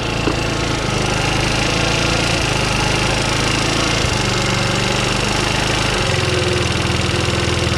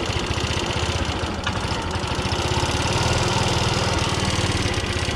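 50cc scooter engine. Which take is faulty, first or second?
second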